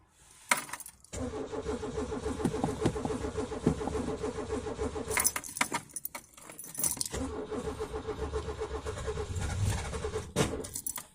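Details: Peugeot 205, cold start at about 2°C at night: keys jingle, then long bursts of even starter churning with pauses between tries and no catch; cold engine slow to fire.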